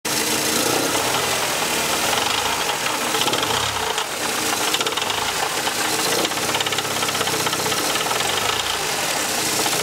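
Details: Mercedes C124 230CE, 2.3 M102 petrol engine: harsh metallic rattle and knocking at low revs, heatshield-like at start-up; exhaust, heatshields and flex plate checked and ruled out, source unconfirmed.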